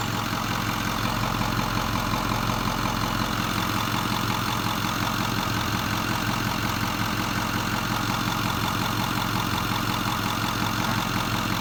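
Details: 2008 Ford 6.4 diesel: steady clatter at idle with an uneven, shaky pulse about three times a second. Rough idle with vibration, cause not evident.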